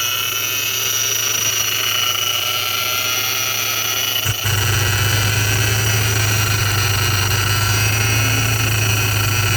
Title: Vortech V3 Si Noise (bad bearing)